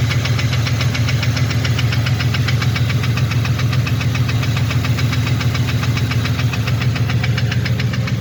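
Even, hollow knock about three to four times a second over the idle, steady throughout; piston slap from a broken skirt.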